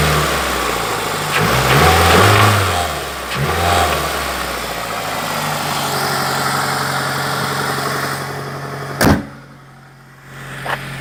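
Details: Toyota 2ZZ-GE engine, rough start and throttle blips: dull, deep knock under the revs, worsening on throttle changes; spun crank bearing, not to be confused with a worn VVTi coupler, which knocks faster, higher, mainly cold.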